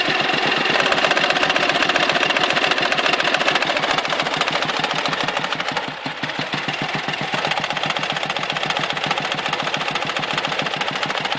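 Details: Dnepr motorcycle engine with sharp metallic tapping at about 3.5 per second throughout. This intermittent knock robs power and makes the carburetor spit fuel, and it stops before the engine stalls or at high revs. Cause unknown.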